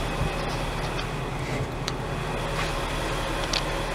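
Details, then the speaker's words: Car with fuel pump connector unplugged to relieve fuel pressure, idling on leftover line fuel: low, slightly uneven, rough idle that sounds different as the engine is about to die; fuel starvation stumble. "did you hear it sounded different disconnected and the cars about to die I guarantee that"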